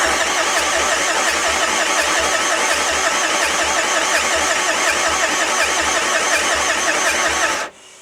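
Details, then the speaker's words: Renault Master van, non-runner, cranking: steady, even starter cranking at nearly three beats a second, never catching, not even when sprayed with brake cleaner. It seems to have little or no compression; cause suspected, not confirmed. "I don't I don't think that's got any compression of any sort by the sound of it. The fact it ain't firing on brake cleaner means this is not very healthy, doesn't it?"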